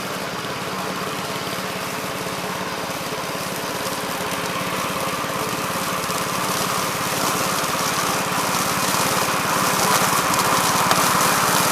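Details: 1969 Gravely C8 tractor, morning run after no-high-range repair: single-cylinder chatter holding a steady beat and slowly picking up, no misfires or clattering. Running well.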